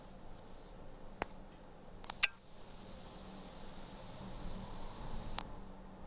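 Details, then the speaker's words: Meizu Lucky08 phone main speaker: after a couple of small clicks, a constant thin high-pitched electrical hiss, present even at minimum volume in games, possibly whenever powered, then cuts off. "主扬声器在使用中会有个明显的电流声如果仅仅只是开关时出现一下倒也罢了关键倘若在游戏中音量调至最低这个电流声也始终在响,比较离谱"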